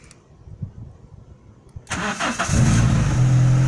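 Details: Renault Clio 172 Phase 2 after a head rebuild with a new gasket and 16 new valves, started in neutral: a brief crank, then it catches at once and settles into a smooth, even idle with a steady low hum and no knocks.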